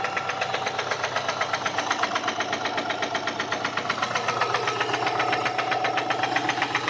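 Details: Subaru EJ204 engine at idle with a sharp, even metallic knock about four times a second; teardown confirmed a spun connecting-rod bearing on cylinder 1 (rod knock).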